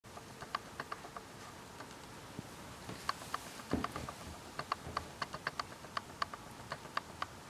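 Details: Canon S100 camera: sharp, fairly even clicks about four per second in a quiet room, mechanism ticking with no clear cause.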